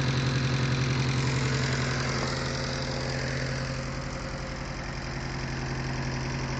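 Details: Mitsubishi Eclipse 4G63T turbo engine at idle: clear rhythmic tick-knock near four per second over the engine hum; owner suspects lifter tick or spun bearing, not confirmed.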